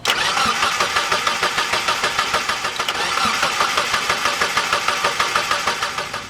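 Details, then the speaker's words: Mazda Miata engine with VVT, shaved head for higher compression, new fuel filter, first start after long sitting: rapid even cranking about three beats a second, never catches; crank no-start, owner suspects long time since last run. "Alright, what did I forget to plug in? I think we're good. It's probably just because it's been so long since it's fired up."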